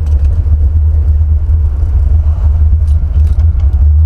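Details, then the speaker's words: Buick 455 Stage-1 Regal-T with Holley 950 carburetor, four-corner idle mixture screws misadjusted chasing performance: deep, lumpy V8 idle that wavers and sags, nearly stalling; rough idle from incorrect idle mixture. "yo i adjusted the four idle screws on my carburetor figured i get more performance i messed it up the air view mixture stinks now man watch"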